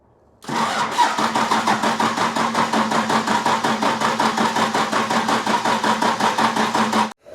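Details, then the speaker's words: 1995 Dodge with 12-valve Cummins diesel, injection pump refitted after being left off. Steady cranking just under three compression strokes a second for about six seconds, with no firing; it is not getting fuel yet. "Well, at least now if we're up here, we can see if it starts getting fuel. Not yet."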